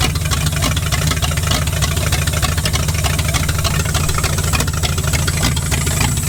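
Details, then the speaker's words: V8-swapped 1946 Dodge Deluxe running on its own fuel system: a steady, loud, even V8 idle through open headers with no misses or knocks; the engine now runs properly. "oh holy crap all right well she's running that must have been the issue"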